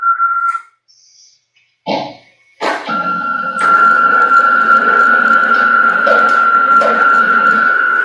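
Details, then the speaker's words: CNC router Y-axis with slaved gantry, PureLogic PLCM-E1B controller, jogging before the fix: steady high stepper whine with brief thumps mid-travel, pulsing and non-linear motion, possibly missing steps, traced to a faulty anti-backlash nut. "as he jogs this machine back and forth on the y-axis you're going to find that it's pulsing it pulses on this side of the gantry at first and then on the opposite end as it jogs back it's going to pulse on this side"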